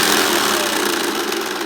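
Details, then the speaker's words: Hoover Commercial C1310 vacuum, newly unboxed, with a replacement belt fitted the right way; harsh, hissy brushroll rattle with a clicky sound that eases slightly; brushroll has some movement inside, owner suspects its bearings. "I think it could possibly be the bearings cuz this is just a bit too ratalie inside it does seem to have some movement in it and a clicky clicky sound"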